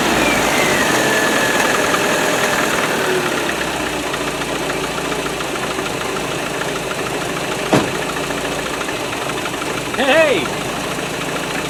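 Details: Early Land Rover 90 with a Weber carburetor, started after cranking with the floats open once a new fuel tank was fitted: steady, even idle with no misses or knocks, a smooth settled beat. Normal idle.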